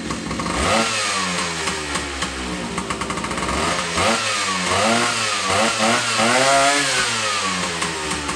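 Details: 1976 Sprint V motorcycle engine, second start after rebuild with new piston following a loose cylinder stud, air leak and seizure: rev blips with blubbery, uneven burble; running very rich because carb was set up with an air leak. Rich running.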